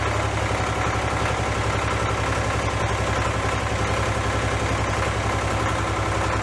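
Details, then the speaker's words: Case 485 loader tractor diesel, first start after head removal and reassembly for cylinders filling with coolant: steady idle with heavy even knock about four per second, heavy white smoke; suspected injectors sticking open, flooding. "No, really, I think those injectors might be sticking open. I think they are. It's flooding."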